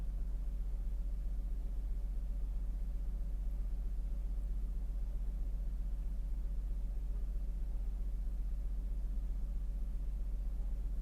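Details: 2002 Lexus RX300 V6 after replacing cylinder 2 ignition coil for code P1305 and clearing codes: quiet, steady low rumble with even beat and no misses or stumbles; smooth idle, check engine light gone, no codes stored.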